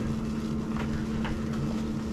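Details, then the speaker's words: Waste oil water heater burner lit with top lid off, about -10° outside: soft, steady roar with low hum and gentle flutters, no thud, pop or bang; clean normal ignition. "as you can see no thud no pop no bang just dirt's burning I'll put the lid on"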